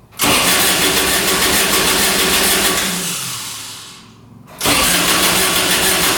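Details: Kubota RTV900 diesel UTV (2007 or 2009), after a head gasket repair for white smoke, 12 volts present: steady, even cranking for seconds, a brief stop, then more, never catching. Owner suspects it's not getting fuel. Crank, no start.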